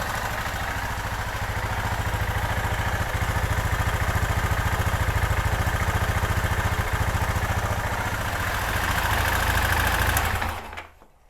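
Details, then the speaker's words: 2005 Kawasaki Bayou 250 after a cheap top-end rebuild, warming up on a carburetor that is due for replacement: even single-cylinder thumping that holds steady without stumbles until shut off. The idle is healthy. "I'll try to tweak it and yeah but there's a lot of other problems here but it sounds pretty good"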